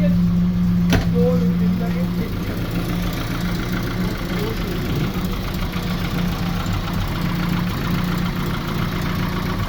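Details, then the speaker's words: Morris Marina restoration car, first start after fitting a different distributor set by guesswork and adding fuel: catches and settles into steady even low idle, no knocks or stumbles; runs fine. "so yeah that was a success I wasn't expecting to be that successful but um it just started and it Ru um it wanted to run"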